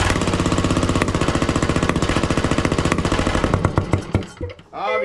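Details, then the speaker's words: John Deere 145 riding mower, Briggs and Stratton V-twin OHV, run without oil: rapid uneven popping chug about 220 beats a minute, then stumbles and dies; misfire, suspected sticking valve or blown head gasket, popping eases with blades engaged. "something's not going right here. Well, one side or the other, one of the valves has got to be sticking or something's going on."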